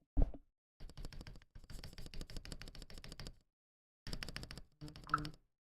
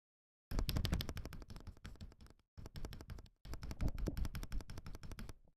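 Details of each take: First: Akko ACR Pro 68 keyboard, freshly lubed switches, not yet tuned, no case dampening foam: fast bursts of clacky keystrokes with a hollow, chattery, rattly ring. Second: Akko ACR Pro 68 keyboard after lubing the stabilizer edges: fast key presses in three bursts, clean clacks with only very minor rattle from keycap tolerances.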